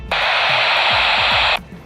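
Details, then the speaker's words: 1970s AM CB walkie-talkie after all its capacitors were replaced: a steady hiss of unsquelched static switches on for about 1.5 seconds, which is normal because these radios have no squelch, unlike the earlier dying squeal. "Only downside about these old radios is the lack of squelch."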